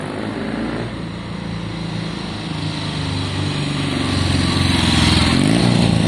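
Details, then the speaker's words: 50-year-old Triumph Bonneville T120 after a Pazon electronic ignition upgrade runs with an even, steady parallel-twin beat and clean firing that picks up smoothly with revs. No misses or knocks, and it is not smoking on one: healthy running. "sounds amazing it's not smoking on one as well which is great"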